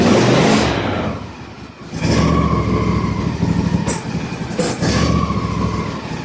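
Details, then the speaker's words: Husqvarna YTH24 mower, 48-inch deck, Briggs & Stratton Intek 24 hp V-twin, hood open: rough, uneven running with sharp pops, backfiring and bogging down. A separated plastic intake manifold is leaking vacuum. "It's very faint, but there are times when you can hear it in the engine really bad. The engine will actually bog down a little bit."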